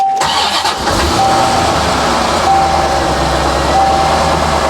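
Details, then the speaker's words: 1990 Corvette C4 V8, manual, low mileage, barn find after 30 years, running on old fuel. Quick catch, then settles into a steady, even run with no knocks or stumble; builds oil pressure normally after an earlier temporary blip. "Building oil pressure. Oil pressure is all good. Seems happy again."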